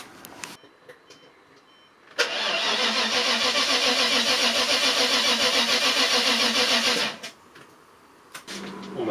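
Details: Maserati 3200 GT with twin-turbo V8, doubtful mechanical condition: labored cranking at roughly three to four turns a second for about five seconds without firing, the drag of a weak battery; a booster was needed to start it.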